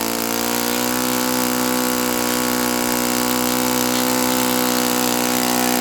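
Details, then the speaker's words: Saito FA-82a four-stroke glow engine after valve spring replacement, timing believed right, good compression, valve lash just set, INA glow plug: high steady full-throttle buzz holds one pitch, short of peak RPM; cause unknown, plug swap planned to rule out plug. "I'm going to swap plugs just to prove to myself and everybody else that the plug is not the reason why it's not reaching peak RPM."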